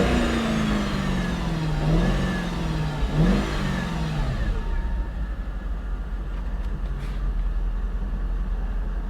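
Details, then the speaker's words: 2018 Ford Mustang Shelby GT350 V8 (salvage auction car), exhaust listened to with AC off: deep note climbs and falls smoothly through two throttle blips then settles to steady low idle; healthy, clean revving. "alright alright that's good enough for me I like her"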